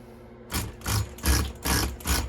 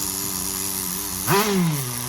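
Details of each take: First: Tamiya TGS-R nitro RC car, first startup after engine rebuild, high-speed needle at factory setting: pull-start bursts, then a high buzzing two-stroke holds a steady, lightly wavering idle, very smooth; owner may increase idle gap; normal running. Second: Tamiya TGS-R nitro RC car, freshly rebuilt engine being run in before its first heat cycle, needle set around factory two and a half turns out: buzzy idle sits too high, blip sags slowly back to fast idle; high end may still be lean. Idle speed set too high.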